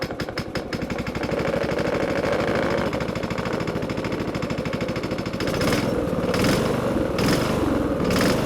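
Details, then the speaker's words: Briggs & Stratton small single-cylinder engine on a Master Cat, started after work, chugs with a steady rattly beat that firms up after a few seconds; sounds like it runs alright. "I have no idea what a Briggs & Stratton's supposed to sound like, but that sounds alright to me."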